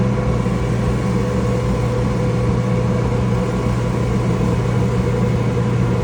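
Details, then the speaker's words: Flooded Kenmore/Whirlpool dryer that wasn't heating, drum removed, motor suspected bad: motor run while held back by hand holds speed with a steady hum and mains drone, no bogging or stall; warm, not hot; earlier overheating suspected. "Motor is definitely warm, not hot, totally normal feeling. I was holding it back and it turned no problem."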